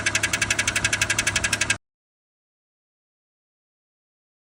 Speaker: también es el encargado de enviar las señales directamente a los solenoides que están dentro de la caja, que precisamente si estos solenoides no hacen bien su función, se podría escuchar un click o un sonido como este.